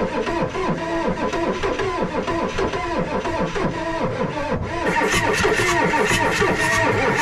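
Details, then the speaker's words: Ford 6.9 IDI diesel being revived, injectors getting fuel: long, slow rhythmic cranking with compression pulses and no catch. The owner suspects air in the fuel system. Long crank, no start. "But it's cranking and it's juicing. So you know what that means. It's getting fuel."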